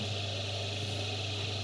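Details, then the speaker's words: Homemade sander built from an old Soviet bench grinder, running unmounted without its table: smooth, steady low motor hum with an even hiss, no rattle or knock; running normally. "и конечно Шум Шум совершенно не такой"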